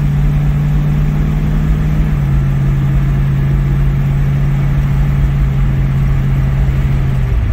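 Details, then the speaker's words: Ford Mustang (1966/67) 289 V8 automatic with two-barrel carburetor, known kickdown issue, road test under full throttle from about 40 mph: strong, steady low drone with no misses or stumbles, pulls cleanly; normal acceleration. "okay pulls on pretty good it's good"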